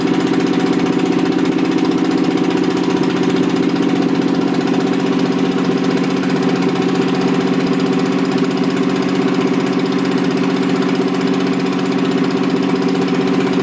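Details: Rebuilt Toyota 7M-GE on a furniture dolly, valve seats dremeled: steady idle with an uneven, lumpy beat about four pulses a second; pulling number three made no change though it sparks, suspected bad plug or no compression; dead cylinder, leaking exhaust valves.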